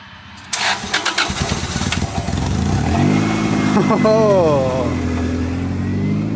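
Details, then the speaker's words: All-original 2001 Acura Integra GSR first start after replacing rusted brake and fuel lines: brief crank, then steady idle with a tinny clanky clatter, likely a loose exhaust part. "The exhaust is kind of clanky, but that's all right."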